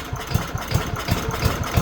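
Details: Older 5 hp Briggs & Stratton on an abandoned chipper, after fixing the pull cord and freeing the valves with Deep Creep. First start on choke with the air cleaner off: it fires and settles into a quick, even idle thump. Normal idle.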